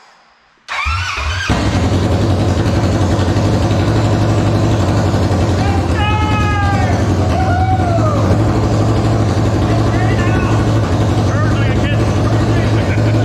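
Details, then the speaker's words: First start of a freshly installed new motor with no exhaust fitted; it catches within a second and settles into a loud, raw, open-pipe idle with a steady beat: normal running without exhaust. "dirk's gonna jerk's gonna stand back here and we're gonna start it and it's gonna be really loud there's no exhaust on it"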